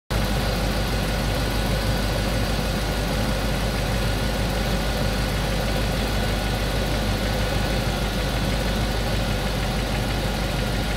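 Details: Rover 4.0 V8 GEMS after replacing a noisy alternator with a new Denso/Magneti Marelli unit; steady, even V8 idle with a low smooth beat, no whine or rattle: normal idle after repair.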